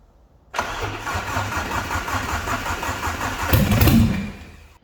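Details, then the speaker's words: Alfa Romeo 145 Cloverleaf first start after restoration, bare minimum reassembled with no exhaust or battery tray fitted: brief crank, catches at once and settles into an even, open-sounding idle; a clean start. "So no surprise, it starts up, doubting my abilities there a little bit I was. But yeah, we've got it going."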